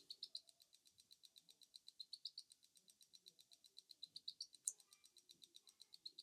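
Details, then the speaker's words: Tandem Mobi insulin pump filling tubing after cartridge change, infusion set disconnected, pump held upright: fast light even ticking, several clicks a second, pausing between rounds until insulin drops appear; normal priming. "it actually takes several rounds of this to see insulin okay so it's filling again and it's going to stop"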